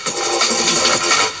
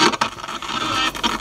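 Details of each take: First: 1980s Toshiba RT-5160S boombox after cleaning and repair of crackly switches and knobs: the radio plays clear and steady while the knobs are turned, with no crackle, scratch or pop. The controls are now clean. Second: Crackly volume potentiometer on a 1980s Toshiba RT-5160S stereo radio tape recorder boombox: radio sound breaks into scratchy crackling bursts each time the volume knob is moved, but the unit works.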